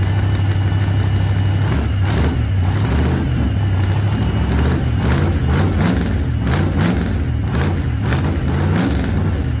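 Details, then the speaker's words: 1948 Chevy Fleetline small-block Chevy V8, 4-speed, first start after sitting a while, carburetor pumped heavily so it fires rich: deep lumpy rumble, repeated throttle blips climbing and settling, catches and keeps running; normal cold start after a motor repair owner thinks is fixed. "Now uh I will say I pumped the ever living crap out of it. So she's going to fire up a little on the rich side."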